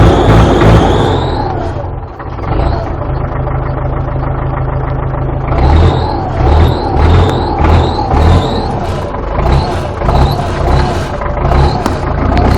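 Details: Belarus MTZ tractor diesel just after hard cold start at -14 degrees, after sitting 2 weeks: heavy low clatter, revs rising and falling unevenly at first then settling; normal cold running.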